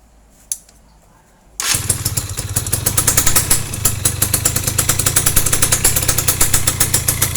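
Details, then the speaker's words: Yamaha F1ZR two-stroke owner says runs rough at the clutch; it catches and idles with an uneven, gravelly rattle over popping exhaust, pointing to worn clutch housing rubber dampers (checked before teardown). "udah jelas ya ini ada sedikit kayak karet kopling sudah oblak atau sudah ause"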